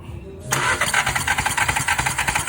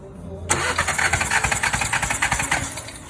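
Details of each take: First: 2016 VW Jetta 1.4 turbo with a cylinder 2 misfire, coils already swapped. Starter spins the engine in quick even pulses, five or six a second, without firing during a compression test. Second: 2016 VW Jetta 1.4 turbo with cylinder 2 misfire persisting after coil swap: compression test cranking at about three and a half beats a second, slightly uneven; reads only 70 psi versus at least 100 expected, low compression.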